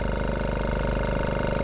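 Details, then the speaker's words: Small airbrush compressor switched on, feeding a regulator with a mini filter and quick release to the airbrush: fast, even piston throb over a low hum building air, then it stops once charged; normal compressor run. "스위치를 켜면은 덜덜덜덜덜 덜덜덜덜덜 덜덜덜덜덜 하고 공기를 만들죠 공기를 만들다 멈췄어요"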